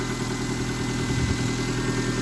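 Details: 1999 Mazda Protege idling after cleaning a dirty MAF sensor, owner blaming it for poor running: steady even idle, smooth low hum, no stumbles or hunting; engine running cleanly.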